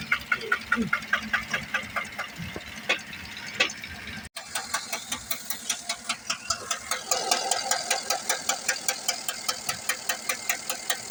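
Sharp, even ticking about two and a half times a second over a steady idle; a knock-like noise, cause not yet pinned down.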